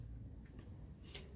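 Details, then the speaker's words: Philips FWM570 stereo that won't turn on: faint irregular relay clicks over a low hum as the relay switches on and off; the Ecopower standby supply keeps collapsing, a suspected short pulling the 5.6 V zener-regulated rail down. "porque o relé não ele não liga e fica ligando e desligando tô por isso que essa fonte aqui ela fica caindo"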